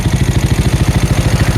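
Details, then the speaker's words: Yamaha Nmax scooter engine after a shop rebuild fixing a cracked valve-guide head and cracked cylinder base with a re-sleeved cylinder, not fully assembled, test-started to bleed the pink coolant. Steady even single-cylinder thump with no knock or rattle. Normal idle. "แล้วเพราะว่าเราไม่ได้ประกอบครบทุกอย่างนะครับแค่ลองสตาร์ทนะครับแล้วก็ไล่น้ำนะครับ"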